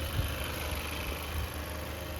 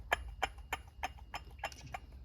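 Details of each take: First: 2017 Chevy Malibu after water pump replacement: soft, low, steady idle hum with no whine, rumble or bearing growl from engine front; smooth and healthy. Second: 2017 Chevy Malibu water pump, removed, shaft rocked by hand: regular dry clicks about three a second from worn internal bearing rubbing, the source of the noise; pump being replaced with new one.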